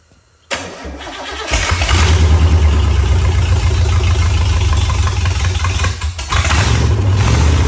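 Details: 1963 Oldsmobile 394 Starfire V8, forgotten engine just reassembled, first start: cranks briefly, catches about a second and a half in, then settles into a steady, even, deep idle with no knocks.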